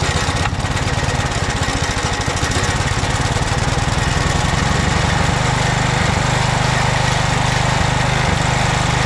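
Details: 2007 McLane reel mower small single-cylinder engine after a carb clean, running on choke at fast throttle on fuel poured into the carburetor bowl, no tank fitted. Fires right up and holds a fast, fairly even popping run; normal running, kill switch works.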